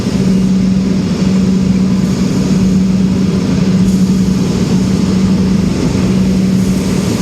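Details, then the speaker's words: Brand-new three-phase Oliver 50 gravity table, fans back at full speed in an active shop: steady even hum with constant low tone, no knocks, rubs or wobble; normal fan running. "this unit is powered by three-phase power unit it just hums right along there are no irregular noises it's an all round nice unit"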